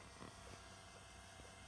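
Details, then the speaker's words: Akai SS023A-X10 rechargeable speaker at low volume in a quiet room: a constant, steady hiss with a faint low buzz underneath on radio, line or Bluetooth input, present since day one, with a few soft handling knocks. "the thing that's annoying me since day one and they seem to all do this is this hissing noise uh at low volume"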